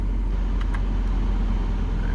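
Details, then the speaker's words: 1996 Mazda Miata after cold start, warming up with A/C compressor engaged: low, even idle rumble with no misses or knocks, stabilizing and lowering as temperature rises; healthy idle. "hear the idle stable again stabilizing you can see it's been lowering as the temperature comes up just a little bit"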